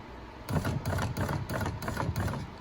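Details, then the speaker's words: 13-year-old Grand Caravan, passenger front door: rough clunking, scraping and crunching as the power window rolls up, because the window motor has come loose in its mount and moves. "so we make some clunking and some scraping crunching noises watch the motor do you see it moving it's loose"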